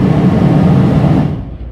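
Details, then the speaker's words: 1977 Pontiac Trans Am blower after AC harness rewiring, key on, switched through low, medium and high on normal setting: steady low whoosh of air fading near the end; healthy fan, everything working as it should. "And we go over here to normal. And we got low, medium, low, and then all the way to high."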